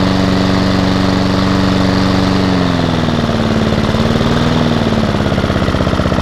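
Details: Hayter lawnmower with a Honda petrol engine, from a job lot, started outside on its first run attempt: steady single-cylinder putter with a smooth, even beat and a slight dip in pitch as it settles, so it runs cleanly; the drive is not working.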